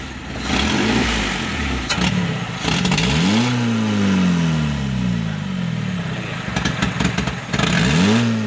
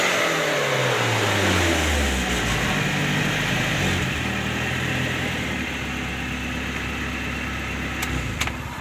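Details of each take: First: Suzuki Carry Futura fuel-injected, air filter hose removed, carb cleaner sprayed into the throttle body: snap throttle now gives a quick, clean rev climb and drop with no bog, pointing to a throttle body fault behind the hesitation. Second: Suzuki Carry Futura injection that stumbled and wouldn't take sudden throttle, after throttle body and sensor service; now picks up cleanly from idle into smooth rising revs with no stumble, throttle response normal.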